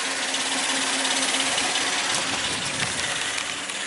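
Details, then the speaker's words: 2002 Suzuki XL-7 2.7L V6 at 130,000 miles, idling: fast, loose metallic marble-like clatter, about three a second, from the front of the engine; the known worn #1 timing chain tensioner rattle, worse on cold start and hot idle. "well guys today we're going to be working on my own 2002 Suzuki XL7 and it's got the infamous timing chain tensioner rattle issue"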